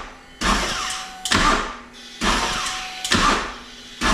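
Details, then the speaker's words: New 2024 Harley-Davidson CVO ST Road Glide, about 500 km, with a freshly charged battery and no warning lights. Short cranking bursts: the starter reaches compression, drops out, and the engine never fires. Crank no-start, electrical fault suspected. "So the bike goes up to compression and then throws out the starter moto"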